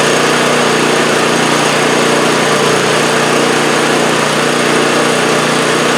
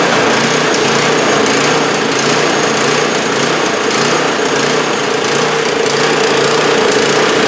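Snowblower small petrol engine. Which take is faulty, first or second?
second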